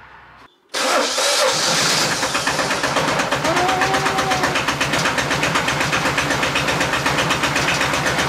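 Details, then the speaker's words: Ape TM 703 (described as diesel), which had refused to start and only stuttered, restarted after a new spark plug was fitted: a short crank, then it catches at once into a steady, evenly pulsing idle at about four beats a second; a clean, healthy start. "so die neue kerze funktioniert"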